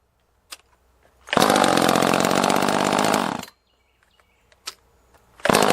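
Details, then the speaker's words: Echo CS-330T top-handle two-stroke chainsaw, bought non-running, screams flat out about two seconds then fades and cuts out abruptly; owner says it sounds out of gas, starving for fuel as it dies — fuel starvation stall. "yeah so that sound as this thing was just dying out that was starving for fuel sound"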